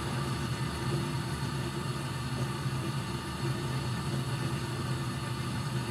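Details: Furnace being checked for short cycling, safety switch held on, inducer running, pressure switch closed and flame across all burners: even, low steady rumble of burners and blower with no cutting out or surging; running normally.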